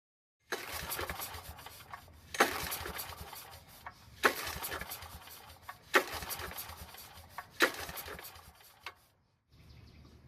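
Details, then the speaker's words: Powermate generator that sat a very long time, likely old gasoline in the tank; fresh fuel fed into the carb line; repeated recoil pulls about every two seconds and it never catches; carb needs attention; cranks but won't start. "And unfortunately, it still won't start on its own. Next, we're going to give it some help and see if it does any better."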